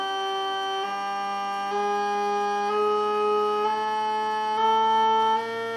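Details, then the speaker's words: Stepper motor past its resonance zone: the rough buzzing has gone and it accelerates cleanly, giving a singing tone that rises in pitch; it runs well at low and high speed but struggles to get through the middle range. "le phénomène a disparu et là je peux accélérer"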